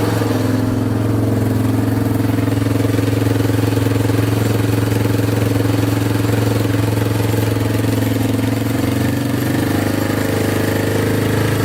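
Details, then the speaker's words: Yamaha Wolverine 350 4x4 ATV after carburetor cleaning and fresh fuel: steady, smooth single-cylinder drone with a slight rise in revs, running without choke. Runs much better, though it still smokes heavily and the oil is to be checked. Running normally. "revs out without the choke now all right so it definitely runs a lot better with that carb clean"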